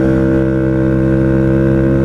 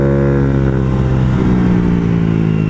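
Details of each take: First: Honda Ruckus CVT after the sliding guide that was installed backwards following a valve adjustment was corrected: even, steady engine drone with no slipping or rattle; belt drive sounds better, normal. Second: Honda Ruckus scooter after valve adjustment: engine flares up and drops back repeatedly while revving, belt not traveling, as if sliders don't slide; variator misassembled.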